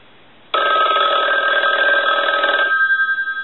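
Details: Yellow Western Electric rotary dial 500 desk telephone, final checks: clean fast bell trill about two seconds dying away; even strikes, healthy bell.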